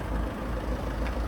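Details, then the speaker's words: Ford Focus diesel bought at auction listed with an engine tapping noise: steady, even low rumble at idle with no tapping or knock; sounds how it should, normal diesel idle. "Come on, that sounds mint. That's lovely, isn't it? Oh, mate. Around here, isn't there? That is how it should sound. That is perfect."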